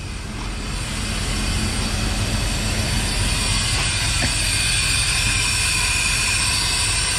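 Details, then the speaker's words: Constant loud hiss of air venting from a blown, ripped and torn trailer air suspension airbag over the idling truck engine at pre-trip; the other bag isn't maintaining pressure, and there is also a flat tire. "got a blown airbag, all ripped and torn. Air coming out of it. The other bag isn't maintaining any pressure."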